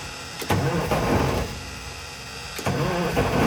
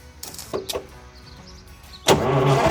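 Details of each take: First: 1970 GMC Astro semi, 6-71 inline-six Detroit Diesel, sitting over 30 years, first start attempt with starting spray: two bursts of rough firing fade after a second, then a sharp restart; catches briefly but dies, needing more spray. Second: 1970 GMC Astro semi, 6-71 inline-six Detroit Diesel, sat over 30 years: quiet two seconds, then catches and settles into a loud, steady idle running on its own, barely smoking.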